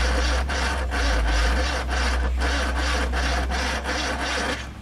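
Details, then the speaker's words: Ford Corsair 2000E barn find, sat for years, 153,000 miles, points and rotor cleaned, spark confirmed: low sluggish uneven starter turnover about two to three beats a second, won't catch; battery suspected weak, unconfirmed. "I think it needs more power, Marcus, doesn't it? We need a bit more power. Yeah, it's a bit dead, that battery, isn't it?"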